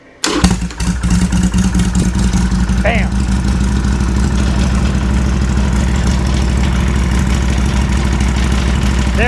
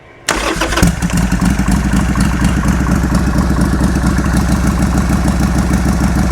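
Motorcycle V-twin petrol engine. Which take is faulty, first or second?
second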